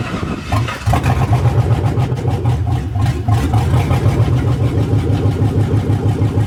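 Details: 1980 Chevy C20 with a swapped 4.8L LS V8, first fire-up after the swap: it catches quickly, then a deep, loud, even open-pipe rumble with light throttle blips. It starts and idles cleanly, as it was supposed to.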